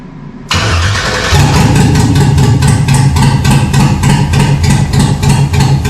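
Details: 1974 Chevy K10 with 6.0 LS swap on 2002 Yukon Denali harness, first start after sitting over 3 years, no exhaust or coolant: cranks, catches, loud crackly open-header idle with steady pulses about three per second; running normally.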